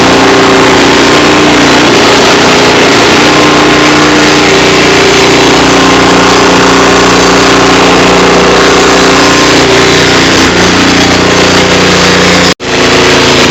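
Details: Cub Cadet tiller with a Honda GC160 engine, after cleaning a carburetor an animal had crawled into, warming up before an oil change: steady, even buzz with no hunting or popping, cutting briefly near the end. Running normally.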